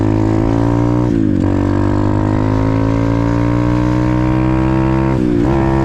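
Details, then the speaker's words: Apollo RFZ X18 125 pit bike running after an upgrade to a new PE22 Nibbi 22 mm carburetor. A strong, clean note holds steady through two quick throttle blips and pulls crisply and evenly. Normal running. "Wow. Sounds good. Feels good, too."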